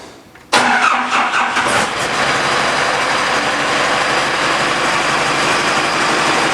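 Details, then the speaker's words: 68 Bronco with 4BT Cummins diesel, right after fitting new liquid-filled motor mounts: cranks briefly and catches, then a loud, raspy, puffing idle. Exhaust leak where the downpipe popped off; vibration is much reduced. "i thought it sounded funny well it's kind of hard to tell if it's quieter uh because my down pipe popped off i guess i didn't have it locked on there completely"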